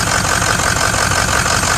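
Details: 2006 Ford XLT truck with a coolant leak, at idle: a faint light metallic jingle near the front of the engine, which the owner suspects is the fan clutch, unconfirmed. Jingling at idle.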